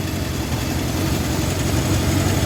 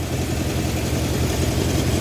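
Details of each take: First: 1971 Honda CB750 K1 four-cylinder idling with a deep, steady rumble that swells and settles into an even beat, smoother after carburettor adjustment; cylinder one had been popping. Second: 1971 Honda CB750 K1 four-cylinder idling with an uneven low beat and popping on cylinder one because its carburetors are out of sync, heard during carburetor synchronization.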